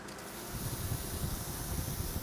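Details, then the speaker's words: CO2 boost control system at about 60 psi target: steady gas hiss from a leaking air hose over an uneven low throbbing pulse, boost solenoids cycling nonstop to hold pressure; about 5 psi leaking off, bottle pressure dropping fast. "Can't hear the clicking over the leak, but the pulsation in the hose is the solenoid just constantly running right now, trying to achieve our pressure."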